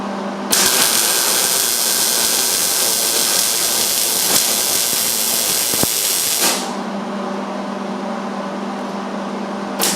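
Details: Normal MIG welding of a butt joint on roll cage tubing: a smooth, constant frying-bacon sizzle for about six seconds with no popping or sputtering, so the arc is well tuned and the welds look nice.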